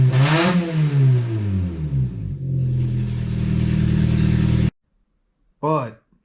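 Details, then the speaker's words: Opel/Vauxhall Astra after exhaust manifold reinstall with new hardware, downpipe disconnected: engine fires, revs sweeping, then loud raw rasping idle from open manifold; quick start to check timing and warm coolant; some smoke, likely oil burning off. "with the downpipe still disconnected down there we're going to fire it up real quick just to make sure the timing is okay"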